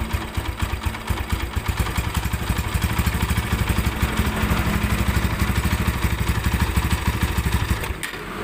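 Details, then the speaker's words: Tiger Evo motorcycle that several workshops failed to fix: coarse, uneven clattering over the engine beat, already rough at idle and at about 1000 rpm and louder when the clutch is worked; rough, rattling clutch. "kita coba kopling kalau di kopling malah makin kencang suara ngaklaknya"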